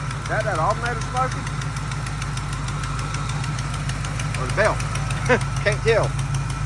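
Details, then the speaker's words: 1979 Camaro small-block Chevy V8 just revived after sitting, carb choke propped slightly open: steady idle with quick even ticking in time with firing pulses; exhaust header leak, exact location not found. "There we go. Still got a header leak. Not exactly sure where somewhere down in there, but she sounds good."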